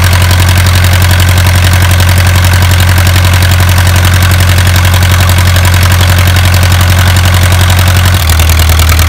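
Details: Isuzu 4BA1 85 hp diesel coupled directly to a 5-inch single-impeller pump irrigating a 20-rai durian orchard, pushing water about 800 m uphill; deep, even drone with steady beat, slight pitch settle near end; normal healthy running under load.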